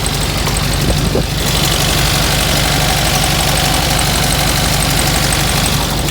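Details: VW Beetle 1303 Super Beetle on a cold start, starting first time: steady even idle with busy air-cooled chatter and fan whirr, no misses or surging; sounds strong.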